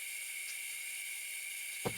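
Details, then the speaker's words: 1950s Vixen spark plug cleaner and tester, first air test before restoration: continuous thin hiss with one short knock; sticky air valves leak and air escapes at the spark test chamber. Owner plans to soak the valves or check for O-rings. "Looks like the valves are sticky. And it's leaking out here. I'm not sure why there's air coming through where you test the spark."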